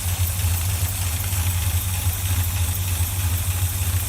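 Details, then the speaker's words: Rebuilt 1965 Chevy pickup V8 with dual exhaust, first start after sitting 15 years: deep, low, lazy burble at an easy steady idle with an even beat and no stumbles; healthy idle. "yep that's how she was back in the day just sit there real nice and easy sitting there the damn nothing idle"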